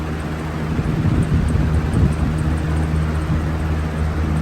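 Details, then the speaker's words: 20-inch Lakewood Holmes box fan on low: steady hum with a faint, fairly regular light ticking that has persisted a while; suspected bad bearings, possibly the blade. "There's a clicking sound. It's been doing that for a while."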